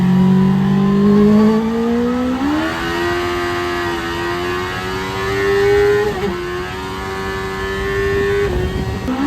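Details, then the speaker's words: Mazda Miata with CBR1000 motorcycle engine, turbocharged, AEM FIC piggyback, loud exhaust, road-tuning pull: revs flare as boost arrives around 6,000 rpm without matching pull, then settle and climb; clutch slipping under boost load. "Did you hear that? Did you see that? Yeah, that would be the clutch slipping."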